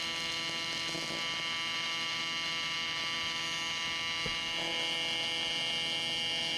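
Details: Miller Dynasty 300DX AC TIG welding aluminum during beginner practice: an even, high crackling buzz holding steady with no sputter or breaks, a normal, stable AC arc.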